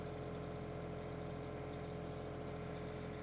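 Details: Daewoo Solar 035 3.5-tonne excavator with starter trouble: after a slow start, a steady, even diesel drone with constant low hum, no knocks or stumbles; now runs, cause suspected as the relay or ignition key cable.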